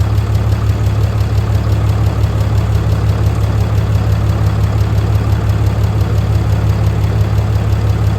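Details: Fourth-gen 6.7L diesel truck: steady, even diesel clatter at idle, about three pulses a second, no stray knocks or misses; sounds healthy, though turbo actuator and grid heater issues remain.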